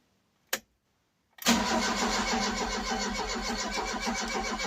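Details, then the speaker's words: Ford Cortina Mk3 Estate in neutral after carburetor work and new vacuum hose: a click, then long steady cranking about four beats a second without catching while fuel reaches the carburetor; it then briefly starts and dies. "all right let's give this a try [Music] we're going to be well till fuel gets through"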